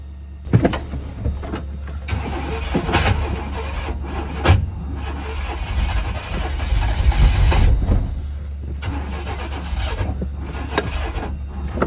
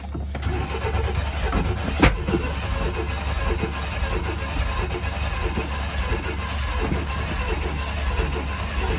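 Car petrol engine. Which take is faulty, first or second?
second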